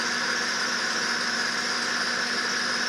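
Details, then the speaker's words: 2006–2008 Acura TL 3.5 V6, restarted after swapping cylinder 5 component to cylinder 4: constant high serpentine belt squeal over smooth idle; misfire still counting on cylinder 5. "Bear with me. Sorry for the noisy belt. Not much I can do about it."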